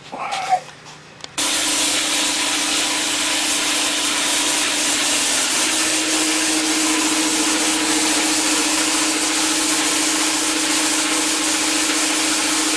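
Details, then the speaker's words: New Campbell Hausfeld 20-gallon twin-cylinder air compressor during its 30-minute initial break-in run with the drain valve open: steady motor hum under a loud continuous hiss of escaping air; normal running. "so it's hissing so loud because i got the drain valve open to let the air escape while i was doing its initial break in"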